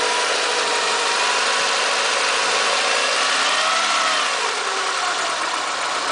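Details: Renault Megane II 1.6 petrol: engine note climbs with throttle while a faint whistling tone rises and falls with revs; unusual noise when accelerating, cause unknown.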